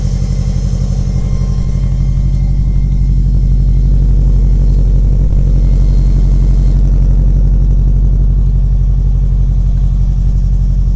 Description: 2003 wrx sti (AUDM) 2.0L turbo - with a weird high pitch buzzing noise when the electronic gauges does its little animation thing then disappears. But starts again when the engine starts.